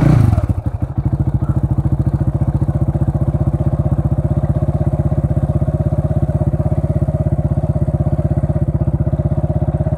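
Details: 2009 KTM 690 Duke single, afternoon after sitting in the sun (heat-soaked): long steady starter cranking at about four pulses a second for ten seconds without firing; hard starting, cause unknown.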